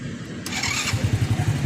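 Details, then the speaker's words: 1997 Honda Astrea Grand Black Impressa motorcycle, electric starter sometimes fails from a weak battery, battery voltage now restored: brisk half-second starter spin, then clean even thump of about nine beats a second; normal start and idle. "Ya, ini akinya udah saya pulihkan kembali tenaganya, voltasenya udah saya perbaiki, udah saya tingkatin. Ini udah kuat untuk kita electric starter."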